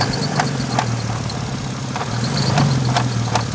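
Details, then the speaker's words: VW MKV R32 with hard 2-3 shifts: sharp uneven knocks two to three times a second over the running engine; suspected failing bearings inside the transmission, something jumping around, not confirmed. "Oh, that's in the trans. Almost sounds like bearings are failing inside of the trans. It's like something causing something to jump around."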